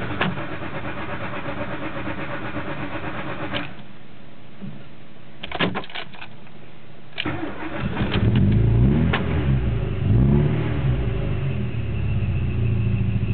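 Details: mk2 16v: the starter grinds through several long cranking attempts with pauses before the engine finally catches and revs unevenly; hard starting, cause unknown.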